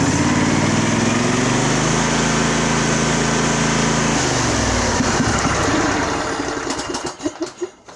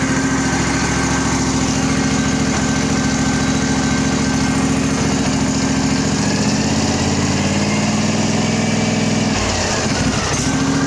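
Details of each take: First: Craftsman riding mower, Briggs engine, choke off, cover off: runs smooth and revs up properly, then sputters and stalls when it comes down to idle; idle circuit suspected. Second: Craftsman riding mower with a Briggs single-cylinder engine, after fitting a used starter, choke off, oil due for a change: runs smooth and steady, then picks up cleanly when revved.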